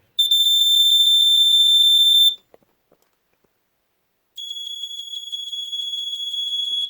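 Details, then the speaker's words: Mid-1980s Sears 246.57313 BRK-made smoke detector with early red three-slot horn, retest: piercing high-pitched horn pulsing fast, about four pulses a second, stops then sounds again; fast pulse not caused by the battery; working. "I like this one's pulse better, but I like the higher pitch of this one. They're both cool sounds."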